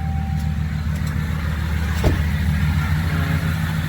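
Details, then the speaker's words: 2019 Ram 1500 5.7 V8 eTorque, 51,000 miles, idling just after startup: steady droning whine over the rumble, first mistaken for the steering pump; a hose stethoscope traced it to a worn tensioner pulley bearing, which was replaced. "we've been having a noise coming from the tensioner pulley"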